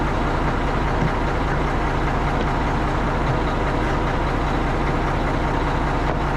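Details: Tri-axle dump truck diesel idling after a cheap no-start fix traced to a dead battery, now cranking strongly. Deep, steady idle with an even low thrum and no misses, knocks or surging; healthy normal idle.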